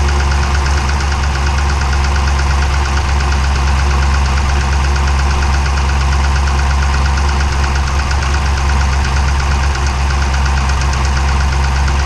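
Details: 392 V8 with 1400 miles, heavy loud idle with deep rumble and steady knock about three per second, sounding like a Cummins diesel; engine knock, source unknown.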